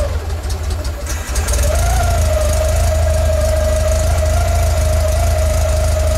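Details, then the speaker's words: Warmed-up air-cooled Volkswagen engine, carburetor idle mixture screw being turned in until it slows, then back out for a smooth idle: steady idle hum that sags and steadies as the screw turns; slight unevenness points to lean mixture. "way here it's starting to slow down now you want to go the other way this is set sure you got to really have an ear for this and basically you're just making it have a sweet idle"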